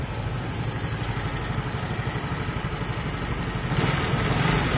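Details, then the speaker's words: Relatively new automatic scooter heard from the left side at idle: sharp, fast ticking, about three per second, rides steadily over the engine, a fairly loud valve tick; the cylinder head and valves are checked next and loose valve clearance is found. "motor tergolong baru ya suaranya Udah ngelidik seperti ini coba dari sebelah kiri ya ini"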